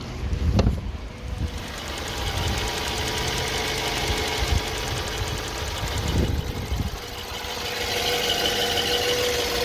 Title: BMW E90 2011 LCI 318i N43 intermittent engine knock pt 3